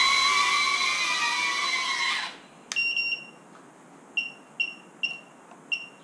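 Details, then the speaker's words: FPV quad on Betaflight, at the end of a trim test flight: the motor noise stops, then short high chirps repeat, the low battery voltage alarm. "[Music] [Music] There's my voltage [Music] alarm. Well, that's about as good as I'm going to get it. And the battery is not happy."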